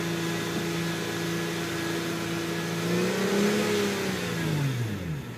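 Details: Hyundai Tiburon engine: a steady whine rises and falls with each rev over the engine note; source not yet identified.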